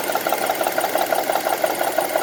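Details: 2002 Honda CR-V on 10W-40 oil: sharp, light, evenly spaced ticking about seven per second over a quiet idle; top-end engine tick, source undiagnosed.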